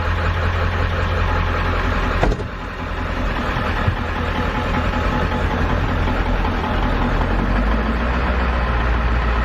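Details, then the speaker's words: 7.3 diesel van after starter replacement: steady diesel idle clatter with even low rumble and a brief bump of handling noise. Normal, healthy idle. "that's a healthy 7/3 you guys already know"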